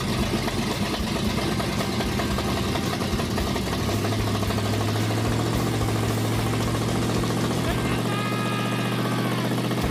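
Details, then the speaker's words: Engine cranked after filling the carburetor bowl; catches and settles into a steady, even idle with a firm low rumble and no knocks, sounds like it has oil pressure, though it sounds like it needs timing work. "But it sounded like it had oil pressure and about 50 horsepower."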